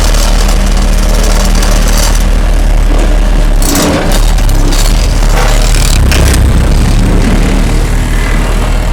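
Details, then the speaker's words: Homemade hydraulic vibratory roller from Case 252 roller front end on Cat 226B skid steer, vibrator on: loud diesel drone with heavy rapid rattling thump from drum vibrator; normal operation. "Now Sarah's going to turn it on right now so you can hear it, and now she's going to go ahead and roll it."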